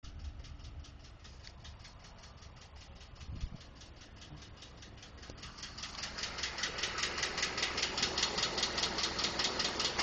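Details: 2012 Ford F150 5.0 at idle: crisp, very regular ticking about two and a half per second, growing louder partway through; source unknown, owner was told it may be normal noise from injectors or the fuel pump.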